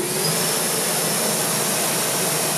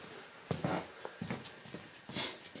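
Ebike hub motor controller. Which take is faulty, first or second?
second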